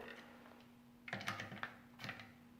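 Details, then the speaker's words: Bolt rifle with bedded stock, action screws just torqued with a T27 torque wrench: a few light, loose rattling clicks as it is handled, magazine box sitting free as it should; tight or bound would need clearancing. "You can hear that magazine box clicking. That's because it's in there loose like it's supposed to be. If it's tight and bound up, it's not right."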